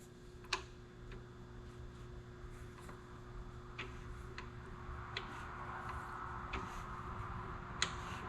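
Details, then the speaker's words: Jeep 4.0 inline-six core on the bench, engine rotated by hand with valve cover off, overheated history: sparse sharp clicks at uneven spacing, one to two a second; timing chain slop ruled out, clicking source still unknown. "No. There's something else giving us a clicking all right, let's see."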